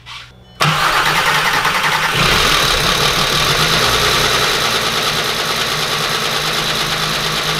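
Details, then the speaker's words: 3.6L VR6 swapped into a MK4 Jetta GLI anniversary edition, first start with no throttle pedal, no coolant and no catalytic converter: cranks, catches, then idles unevenly with a hissing undertone; owner suspects a vacuum leak, probably an EVAP hose, possibly fuel starvation. "it started but I can hear there's a vacuum leak it's probably just one of these evap poses"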